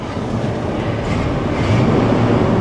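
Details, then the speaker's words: 1984 Chevy C20 3/4-ton one-owner pickup with a V8 that runs very rich at idle; switching on the air conditioning makes the idle lope and stumble, rough and unstable. Idle needs turning up. "now let's fire up the air conditioning now you hear the idle get kind of wonky right it doesn't like"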